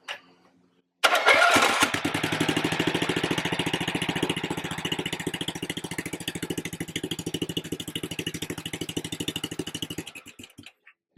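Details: Husqvarna RZ30 zero-turn mower, Briggs 16.5 hp engine, after MIG-welding a burnt spot in the muffler: engine cranks and catches, then settles to a steady even thump with no puffing or ticking; exhaust leak now sealed, normal running.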